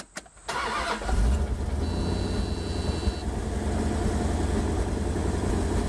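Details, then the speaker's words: Wood-gas truck with an automixer, key cranked with gas already present: the air valve jumps from wide open to the proper position, and the engine catches instantly into a steady, smooth idle. Normal start and idle. "instantly moves from a wide open position to the proper position from running the gas was already there so it was an instant startup and it's running smoothly"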